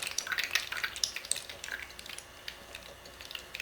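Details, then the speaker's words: Rebuilt small-block Chevy 350 being oil primed through the distributor drive, engine cranked by hand after lifter install: fine crackling, fizzing bubbles as air purges from the lifters. "can hear those little Bubbles"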